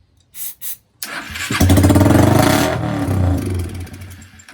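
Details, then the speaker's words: 2001 Kawasaki Eliminator 125cc, first start in years after fitting a new CDI, with the carb partly installed and starter fluid used: a couple of cranks, then a loud, raw, crackling bark from the open exhaust with no muffler fitted. "that is loud it is very loud and it's because we don't have a muffler on it at this time"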